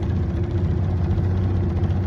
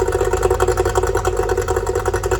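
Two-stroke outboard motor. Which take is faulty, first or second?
first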